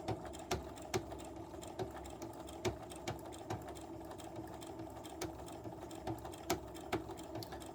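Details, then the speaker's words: Sewing machine while stitching: sharp clicks two or three a second over the stitching hum; owner suspects presser foot plate set too far forward so the needle hits it. "I don't know if you guys can hear it, but I can hear a little bit of like a clicking sound, and I'm thinking that my presser foot plate is too far forward."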